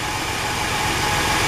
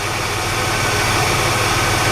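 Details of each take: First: Car engine at idle, ticking heard from driver's side, oil a little low; light quick valvetrain tick; owner suspects dry lifters. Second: Engine after a Gumout lifter cleaning that followed a ticking from the driver's side, oil pressure a bit over 60: steady, even idle with no top-end tapping; normal idle after the fix.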